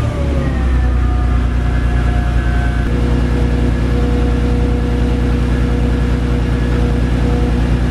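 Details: Audi 3.2 V6 idling after alternator replacement; deep, even idle, steady low rumble, no knocks or belt squeal; charging at 14 volts, fault fixed.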